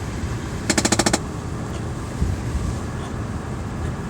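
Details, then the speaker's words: Chevrolet Impala with a no-heat complaint: a quick burst of about seven sharp, evenly spaced clicks, then quiet, from a failing blend door actuator skipping its gears. A previous bad actuator had simply been removed. "so what happened was this one was bad it was clicking and instead of fixing it they just completely removed it so it doesn't make the noise"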